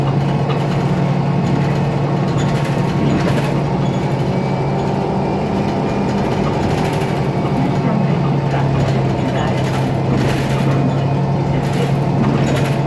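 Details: IETT Mercedes-Benz Citaro O530 city bus M2368, 2007, OM906LA Euro 3 turbo diesel, ZF Ecomat 6HP502C 6-speed automatic: steady low diesel drone with hum on top and short rattling bursts every few seconds; faulty turbo and noisy loose part.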